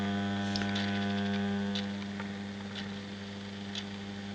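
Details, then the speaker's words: Homemade moving planet clock for US mains, single motor driving ring and planet: constant low mains buzz with faint gear clicks; builder thinks the voltage going into the motor causes the loud hum. "I know there's a lot of buzzing noise from the motor but I think it's something to do with the the voltage going into which is kind of causing that noise"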